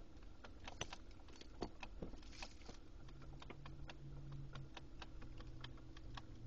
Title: Lexus GX470 weird clicking noise